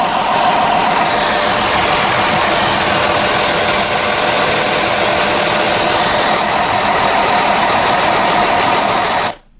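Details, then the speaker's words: Chrysler 300 with a P0406 EGR code, idling: a loud, steady airy hiss from a vacuum leak at the EGR pipe; the owner guesses air is hissing into the intake manifold. "Okay, so I definitely think that's a vacuum leak. Now, I think the air is actually hissing into the intake manifold."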